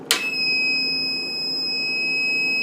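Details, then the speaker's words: Solar setup power inverter at 10.6 volts input (batteries should be 13.5): click, then one long steady high-pitched beep, a low input voltage alarm; owner suspects the inverter rather than the batteries. "at 10 point 6 volts according this this is the beep I was talking about that's why I'm thinking it's because it's the inverter not the batteries"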